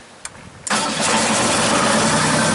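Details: Genie S-40 boom lift diesel engine, being diagnosed for a start-stall problem, cranks briefly and catches almost at once, then settles into a steady, even idle with no misses or stumbling; a normal start.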